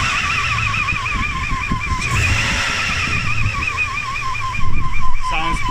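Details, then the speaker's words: 1998 Toyota 4Runner V6 at idle: loud wavering whine wobbling about three times a second; AC compressor not engaged, unaffected by AC or steering; stopped after restart, cause unknown. "Sounds pretty horrible. And if I kill it, it might stop and don't come back."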